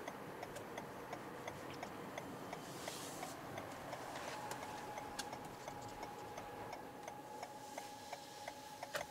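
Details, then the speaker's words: 2021 Toyota Venza Hybrid XLE on a test drive: light steady ticking, then a faint constant mid-pitched hum as the pedestrian alert plays while creeping in EV mode; normal. "And right there you can hear the EV mode again."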